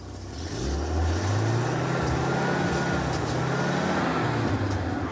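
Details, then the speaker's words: Old carbureted engine with a Monojet one-barrel carburetor, during a tune-up with cleaner sprayed down the throat: quick, clean blips that rise and drop crisply with no misses or knocks; snappy and healthy. "I'm just gonna clean the outside of it for fun, and then Steve will fire the engine up and I'll spray some down the throat. All right, rev her up."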